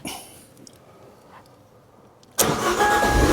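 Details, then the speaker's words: Stolen-recovered Abarth 595 salvage car, first start after battery reconnect with the emergency startup: near silence, then fires instantly and settles into a steady smooth idle; airbag and low fuel warnings showing. "Yay! There it is. Roars into life. Fantastic."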